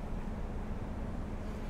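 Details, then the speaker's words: 2007 Toyota Yaris after cleaning a completely clogged throttle body that caused low idle and heavy shaking at idle: steady even low hum with no stumble or shake; engine now idles smoothly and normally. "I really beautifully all the symptoms are gone there's no more shaking there's no assists on the floor oh it's doing it all by itself guys"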